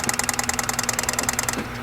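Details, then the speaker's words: 1987 Chevrolet Monte Carlo SS, sitting about 20 years, Quadrajet carb: fast sharp ticking about ten a second with a thin whistle, then stops; gauges show alternator not charging and it's noisy, cause not pinned down. "According to the gauges, alternators not charging, making noise."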